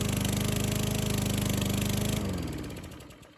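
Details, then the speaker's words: Free roadside Yard Works lawn mower, single-cylinder, cleaned and primed, started cold; chugs with slightly uneven sputtery beat then cuts out; ran perfectly after warming about 5 minutes: rough running on cold start. "So again, here it's running. Sounding a little sputtery."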